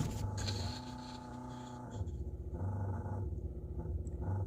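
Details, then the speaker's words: Carbureted Mustang project car after timing and carb experiments: rough, low growl surging and fading as the fuel pump cuts in and out, stalling from lack of pressure; the pump later leaked with no line pressure and burned out. "I don't know if you can hear that it just growling and coming in and out that sounds terrible"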